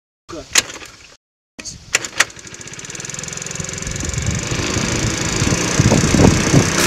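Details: Small four-stroke motorcycle with 11,000 km on it, after repairing a stuck valve that caused no compression and no start: after a couple of clicks it catches and settles into a steady, even idle with no valve rattle.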